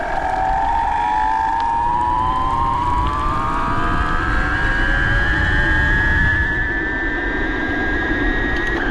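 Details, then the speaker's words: BBS02 e-bike mid-drive motor after conversion to 72 V, 42/32 gearing, ridden 31 mph in first gear under 1,000 W, slightly downhill; loud whine climbing in pitch with speed. Owner says something still seems out of whack; plans to open it. "it's going 31 m an hour in first gear with less than 1,000 Watts that was kind of downhill but this will loud though man this thing's crazy"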